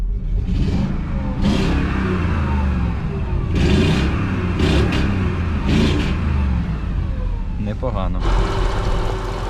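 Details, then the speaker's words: Mercedes-Benz W220 S-class 5.0 V8 (M113), oily but normal for this engine per the teardown check; deep, even V8 with clean throttle blips, revs rising and falling smoothly, no misses or knocks; normal running. "тут встановлено двигун V8 послухаємо як звучить"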